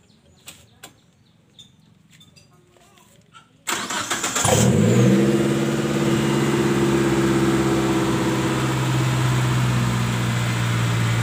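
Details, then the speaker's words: Colt T120SS: quiet, then engine cranks, catches and settles at fast steady idle that never drops; rpm stays high because worn throttle valve lets in extra air; fix is replacing throttle valve. "Oke sahabat semua seperti ini ya jadi rpm nya selalu naik tinggi"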